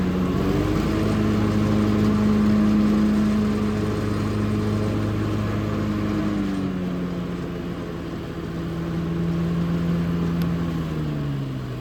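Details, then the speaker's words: Hustler FastTrack SDX mower running heavier X-blade (six-blade) setup: steady engine drone sags noticeably lower in pitch as the blades take up, showing the added load on the engine. "we're going to start the machine with the blades on so you can listen and hear the differ between how much uh more energy it takes to spin those blades"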